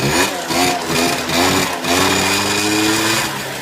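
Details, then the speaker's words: Peugeot Speedfight two-stroke moped, kickstarted: catches quickly with a lot of smoke and settles into a rising, then steady, raspy idle with no misses; it starts and runs fine. "You get a lot of smoke come out when you go. Wow. Well, that's kickstart. That's not bad at all, is it?"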